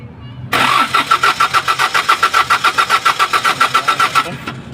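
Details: Engine suddenly stalled, then cranks steadily about three and a half beats a second for nearly four seconds without catching: cranks but will not start.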